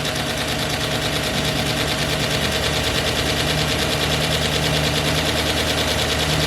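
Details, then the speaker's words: 2009 GM truck with 5.3 LS V8, first startup after a broken camshaft locator pin fix, fresh oil and filter, jumper battery: fast light ticking over a steady idle, about two per second; lifters still pumping up, 50–60 psi oil pressure, tapping expected to fade. "lifters need to be pumped up a little bit and yeah that little tappy sound will go away after some time"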